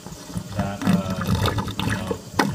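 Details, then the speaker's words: 187-gallon reef tank Herbie overflow with main drain valve fully shut, only the standpipe draining: irregular watery gurgles and glugs as air is pulled down the standpipe; standpipe gurgling. "so right now all we have draining this tank is this stand pip and you can see it and you can hear it gurgling"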